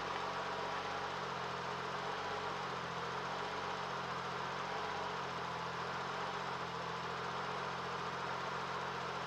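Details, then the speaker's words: 1992 Lexus SC300 1JZ 5-speed that would not start (suspected no spark) after new spark plugs: steady, even low hum with no stumble, knock or miss; runs with a smooth, healthy idle. "all right guys so as you can see it worked I got it running"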